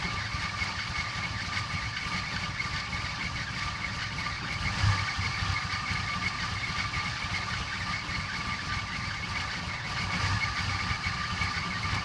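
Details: Toyota Cressida idling: uneven, lumpy low pulse with occasional stumbles instead of a steady beat; rough idle.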